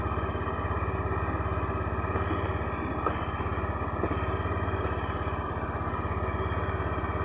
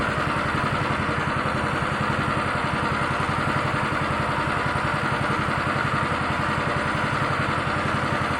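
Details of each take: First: Honda Beat injection scooter, rough-starter type: quick, even putter at steady idle with no misses, knocks or rattles; normal idle. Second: Honda Beat injection scooter, rough-starter type, complaint of stumbling on initial throttle: small single idling with a fast, slightly uneven chuffing beat and no clear misses; rough idle before scanning, cause not yet found.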